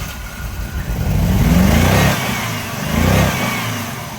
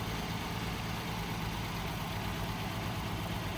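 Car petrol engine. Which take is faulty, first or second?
first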